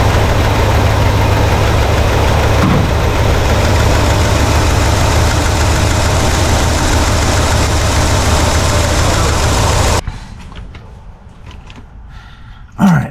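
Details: 1968 Pontiac LeMans V8 warmed up, idling with a steady, even, smooth low beat and no ticks or stumbles, then shut off. Timing read about 6° because the distributor was loose; it was then locked at around 12°.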